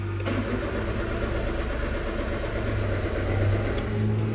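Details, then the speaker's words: Peugeot 206, about 2008: the starter turns the engine over steadily but it never catches, and the scanner shows rpm staying at 0 while cranking. The crank position sensor is suspected and is to be checked with an oscilloscope. "que la rpm se mantiene en el 0 no hay variación"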